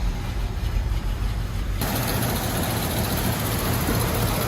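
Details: 1976 Jeep J10 with 401 V8, revived after 29 years off the road, with a fixed ignition switch: steady, even low idle rumble with no ticking, knocking or exhaust puffing; healthy.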